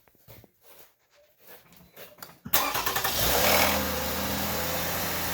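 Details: 2008 Toyota RAV4 3.5 L V6 on cold start: engine catches and settles to idle with light metallic rattle riding over it; source not identified.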